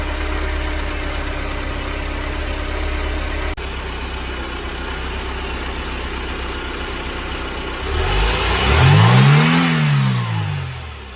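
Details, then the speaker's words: Mercedes 190E 2.0 (W201, M102) petrol after replacing worn belt tensioner, damper, adjuster and belt: steady even idle and one smooth throttle blip, earlier rumbling noise gone, no squeal, chirp or rattle. "エンジン動作時にあった異音はなくなり静かになりました。"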